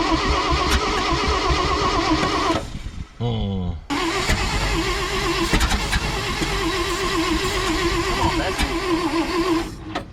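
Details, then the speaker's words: 1970 International Loadstar truck, long-sitting once-locked engine, starting fluid: slow uneven cranking with sputters, never catches; suspected cranking too slowly for compression and weak spark, no start. "just ain't spinning fast enough no that's exactly what I was thinking she ain't getting enough uh whirling going on making compression"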